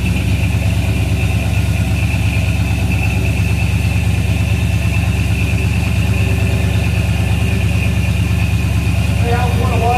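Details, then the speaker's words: 1937 Dodge pickup truck's old six, restarted after being worked on; steady low idle with even beat, no misses or stumbles, faint tone above; owner says it has always run great; normal idle. "Well, sounds good. yeah, and it'll clear up. It's always ran great."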